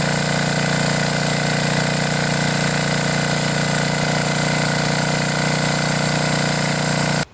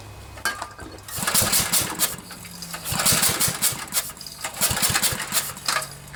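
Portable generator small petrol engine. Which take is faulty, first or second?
second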